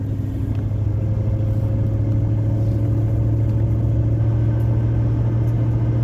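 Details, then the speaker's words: Truck with 285,000 miles on a Cherry Bomb muffler, at easy acceleration under quarter throttle toward 55-60 mph; steady exhaust drone with a thin pinion bearing whine above it, plus a manifold leak. "the truck has 285 000 miles on it and has a pinion bearing wine and a small manifold leak"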